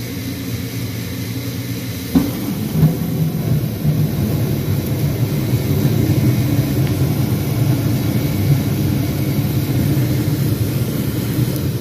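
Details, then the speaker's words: Gas furnace on a no-heat call, after fixing an error code and reversed power supply polarity: inducer motor kicks in, slight click, igniter glows, soft ignition thump, then flame and steady low rumble of inducer and blower; normal furnace operation. "my inducer motor just kicked in next you'll hear a slight click my igniter is glowing and now my flame should turn on"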